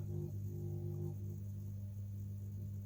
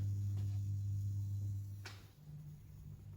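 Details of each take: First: Street light lantern on an electronic driver: steady loud low hum with a few fixed tones, no wavering; starts spluttery, always been this noisy, nothing thought wrong. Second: Street light lantern fitted with a plug, with an electronic driver: a loud low hum drops out, then wavers back as a higher buzz, and the lamp splutters before starting. The driver always struggles and the lantern is always noisy.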